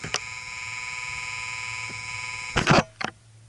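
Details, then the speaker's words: Dirt bike LED light fed by a bridge rectifier without a filter: a steady electrical buzz, with visible flicker, because the rectified current is not yet smoothed to DC. "yeah so that's the buzzing noise why even though this current is rectified right now is not filtered"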